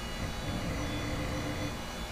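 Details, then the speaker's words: Old traded-in desktop PC booting Windows XP: a steady whirring hum with a faint constant whine on top, louder and rougher than a modern drive. The hard disk's spindle bearings are audibly worn. "Have listened to that hard disk. You can hear the bearings in that thing."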